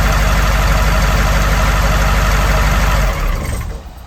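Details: 1982 Wanderlodge FC bus diesel, running after injector pump replacement and a fixed shut-off solenoid electrical issue: deep, even rumble with steady firing about three seconds before winding down; sounds healthy.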